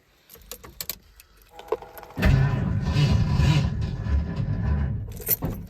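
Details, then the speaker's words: Slow, uneven cranking without starting on a 1980 Ford F150 with 351 Windsor and long-tube headers in freezing, snowy weather, after a starter replacement; AGM battery possibly dead, though it now turns over, unlike before. "battery might just be dead but it does turn that's an improvement from last time"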